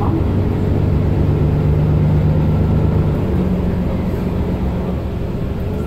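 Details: Mercedes-Benz Citaro O530 LE bus, OM457hLA 12-litre Euro 5 diesel (299 hp), ZF Ecolife 6AP1700B automatic with overdrive, 12,450 kg: bus rumble with a steady low tonal hum rising in pitch as it pulls away; the fleet's only noisy Ecolife gearbox whining under drive.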